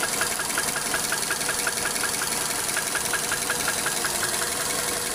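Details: Engine with spun bearings: sharp metallic tap repeating about twice a second, steady and regular over the idle; rod knock.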